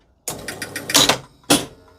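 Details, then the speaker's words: 1973 Gottlieb Kingpin pinball after ball-trough relay circuit repair, ball placed in the trough: relay clicks in, score motor chatters through quick clicks, then a sharp thump as the ball kicks out. Normal ball return cycle. "That pulled in, the motor spun round, the relay released, and you heard the ball kick out."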